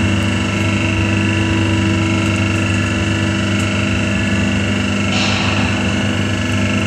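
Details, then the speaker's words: V40/V70 hydraulic cardboard waste baler on auto cycle, pressing at about 4 tons factory setting: steady even pump drone holding pitch, no knocking, squealing or grinding; normal. "so now it's pressing it's about 4 tons of pressure we set these machines up before they come out of the factory it's going to give it a good press"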